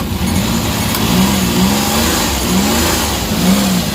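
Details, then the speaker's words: Suzuki DA64/DA63 mini van K6A engine after wiring harness repair, air conditioning on: rpm rises slowly and evenly with idle-up, no shudder or miss; normal running. "Ayan tumataas yung RPM dahandahan Okay sumasabay na siya ayan oh h normal na yung andar guys"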